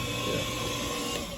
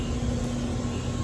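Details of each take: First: Hayward HeatPro pool heater showing an LP error: the fan motor hums, energised but not spinning, so the fan won't start. The cause was a failed dual capacitor, replaced with an 80/7.5 µF part. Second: Hayward HeatPro pool heater after its failed 80/7.5 µF dual capacitor was replaced: the condenser fan runs normally with a steady airy whoosh over a low hum, no rubbing or rattle, while waiting for the compressor to start.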